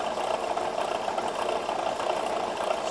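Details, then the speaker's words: ACME handsaw vise and filer, first power-up: steady mid-pitched hum with a soft rhythmic tick about a hundred a minute; pulley noise because a set screw is missing. "now for the bad news that noise that noise is because well you can't see down in there but it's missing a set screw"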